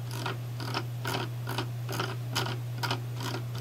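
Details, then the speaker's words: Logitech MX Master wireless mouse: quick bursts of crisp scroll wheel ratchet clicks about twice a second over a faint hum; normal operation but notably noisy. "The biggest problem I see with this mouse is the amount of noise the wheel produce."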